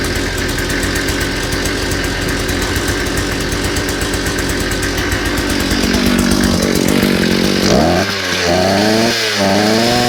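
Strong, even two-stroke buzz that holds high revs, then drops and rises cleanly as the throttle is worked; the saw runs healthy.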